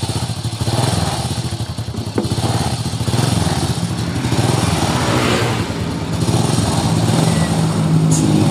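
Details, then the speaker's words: 2001 Honda Supra X motorcycle idling with a rough, loose rattle from around the cylinder head over the exhaust beat; top-end noise, with the cam chain, chain roller and valve clearance to be checked. The cam chain was found tight. "Ya, bunyi kemericik di sekitar silinder head. Nanti kita cek keadaan rantai keteng, roll keteng, dan setelan klepnya."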